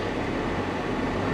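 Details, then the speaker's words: Small-turbo diesel Jaguar at auction, suspected flood car: even diesel drone with a steady low thrum, revving up fine with no knocks, misses or rattles; normal running. "rev's up fine though seems to run okay"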